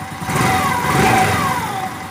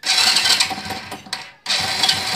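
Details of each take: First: Honda Biz 100 single-cylinder motorcycle after repair of an engine noise: revs up and settles back smoothly with no ticking or rattling over the exhaust; engine now quiet and healthy. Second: Honda Biz 100 motorcycle idling, louder when revved; fast, loose metallic clatter over the engine, owner says something loose in the engine.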